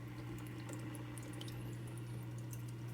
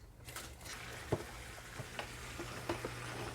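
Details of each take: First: Top Fin hang-on-back aquarium filter rated to 30 gallons, mic placed beside it: steady low hum with a higher tone and water trickling over the top; runs louder than the Aquaclear, cause unclear. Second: New Aquaclear 50 hang-on-back aquarium filter, just plugged in with the lid off, replacing a noisy Top Fin: a few start-up clicks, then a low steady motor hum under a soft continuous water trickle; running normally and quietly.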